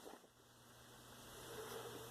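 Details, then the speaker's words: Replacement be quiet! CPU heatsink fan in a roughly 10-year-old PC (BIOS from 2007), after the old fan made a loud constant noise and the heatsink was cleaned of dust: soft, even, whisper-quiet hiss with faint hum. CPU now 39–40 °C, down from about 50 °C. "now the CPU fan is whisper quiet you cannot hear anything"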